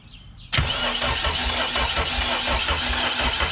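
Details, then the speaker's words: Honda K20 engine swapped into EF hatch, first start attempt with fuel pump bypassed, spark present, brake clean sprayed into intake; brisk even cranking that never fires, better ground to be tried: crank no-start, cause unconfirmed. "no nothing nothing so let me try a better ground maybe"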